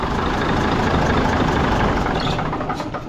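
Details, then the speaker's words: Mack diesel engine, warm idle: heavy idle with a light, uneven tick about three a second. It is not fuel-related, since pulling fuel didn't stop it; it is louder with the valve cover off, and a valve out of adjustment or head problem is suspected. "I'm thinking it's a valve like something out of adjustment and it's tick tick tick but I'll go ahead pull fuel off and we'll see if it if that noise goes away so you can have a fuel tick or you can have a valve"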